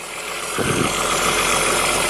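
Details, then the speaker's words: 2008 VW R32 V6 AWD, 201,000 miles, cold start at auction in snow: steady high hiss over an even idle, not following the engine beat; vacuum leak suspected, not confirmed. "somewhere sounds like a vacuum leak"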